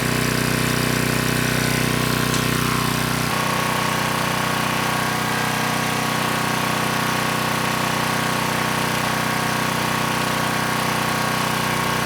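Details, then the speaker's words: Craftsman 2500 W generator, Tecumseh OHH60 overhead-valve engine, after carburetor service: started first pull, steady even note with regular firing, no misses, though no-load speed slightly slow. "That engine started first pull. It ran nice and smooth."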